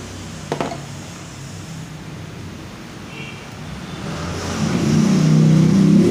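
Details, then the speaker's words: Yamaha Fino 125 / Mio M3 scooter with spark plug removed to check spark: starter spins evenly about three and a half beats a second, never catches, no spark; crank, no start with lost ignition. "Oke kita lihat bunga apinya kita starter motornya [Musik] nah ini nggak ada ya bunga apinya ya"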